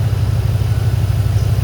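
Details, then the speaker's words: P38 Range Rover air suspension with the exhaust filter removed and a finger over the exhaust hole: the compressor hums low and labours harder as pressure builds. Air was escaping through a leaking exhaust valve in the valve block. "i've got the little um exhaust filter out at the moment have a listen what happens when i put my finger over the exhaust hole"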